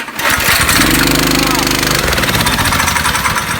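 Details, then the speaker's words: Go-kart with throttle cable set too tight so throttle is already down at start: engine catches and immediately roars at high revs with no throttle input, stopped by kill switch; fix is more cable slack via the adjusting nut. "we're gonna start this up this go-kart's just gonna run away because the throttle is already down"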